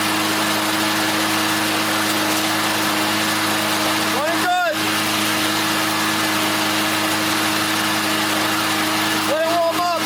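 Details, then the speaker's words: Restored Briggs & Stratton 190 cc flathead lawn mower engine after auto-choke adjustment and repairs: constant even drone running real strong with no vibrations or knocking, smoking a little as fresh paint and lubricants burn off. "up running real strong no vibrations"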